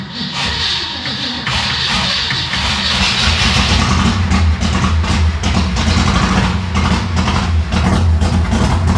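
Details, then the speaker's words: Ford Fairlane V8, long unused, first start with manual choke after pumping gas: lumpy, uneven beat that stumbles and misses right after firing; rough running, owner suspects choke on too much. "Well, it fired off. I think the choke might be on too much. Well, it is quite obvious this hadn't run in a while."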